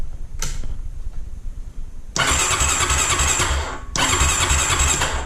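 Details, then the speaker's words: Honda Rancher ATV (stated as 2004 Rancher 400, title says 2000 Rancher 350) after installing a new starter to fix a no-crank: one click, then strong, even cranking and engine turnover; starter now works normally. "Okay, so there, we know it works now, so now it's just time to put it back together."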